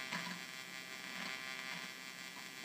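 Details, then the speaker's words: 1976 Octave CAT analog synthesizer, unpowered for about 25 years. Thin steady tone over a low hum, broken by scratchy crackles and dropouts when switches or sliders move: noise from dirty switches and sliders. "i mean the switch is dirty as hell but damn focus so it's not like the switch is bad and not allowing the sound to go through and you can hear how dirty the switches are"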